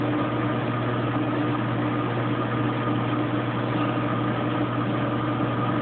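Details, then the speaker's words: Kenmore Oasis top-load washer during OL-code repair testing: at 21 minutes left it reaches high spin with a steady low drone, no grinding or thumping, running normally and shaking the camera. "So it sounds like it's spinning. Down to 21 minutes. It's into high spin now. You can probably tell by the shaking of the camera."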